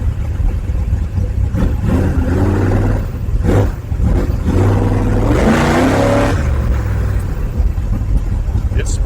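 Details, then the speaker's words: 1955 Chevy big-block V8 with borrowed carburetor, possibly still cold, first drive: revs up hard, then stumbles when floored; flat spot on full throttle, maybe needs more accelerator pump shot, cause uncertain. "it didn't like that flat foot it so either needs more pup shot or who knows what"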